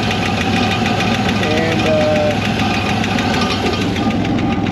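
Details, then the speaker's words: 1960 Corvair 80 hp engine revived after sitting in a field since 1991, timing at 12–13° and dwell 32: a light, quick tapping at idle keeps time with engine speed. Down to one noisy lifter, where there were several before. "so you can tell this engine actually does not run bad at all sounds like just one lifter now there was several before"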